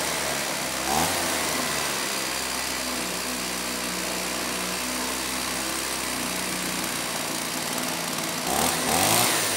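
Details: STIHL 028 AV Super chainsaw, rebuilt with non-OEM parts after straight-gas burnup, first start after choking, carb cover off; high steady buzzing idle, slightly ragged beat, clearly lean until low speed screw opened a bit; crankcase air leak.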